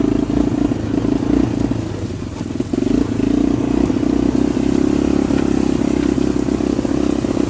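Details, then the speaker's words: 1985 Honda FourTrax TRX250 single-cylinder ATV just started on the kickstarter, high compression: fast, even thumping with a small rev dip, running cleanly with some pep; it tends to idle down until it stalls. "If I would have let it idle, it would have idled down until it would shut off."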